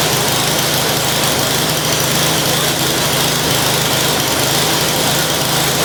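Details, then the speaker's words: Curb-find snow blower, small single-cylinder engine, started with brake cleaner: steady, even buzz at constant speed with no misses; engine and auger appear to work normally. "I think everything might actually work on this thing."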